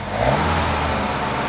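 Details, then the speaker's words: Mercedes 190SL after restoration work: rebuilt carburettors and brakes, a new starter motor, ignition cables and spark plugs. It starts and gives a brief, smooth, even run that picks up cleanly with no misses or knocks: normal running. "whoa yes that's beautiful sound six years six years later 26 years well I like it yeah"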